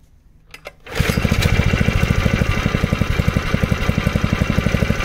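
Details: 1970s Honda G35 3.5 hp general purpose single-cylinder engine: a pull, then it fires and settles into a quick, steady beat, holding speed evenly without misses.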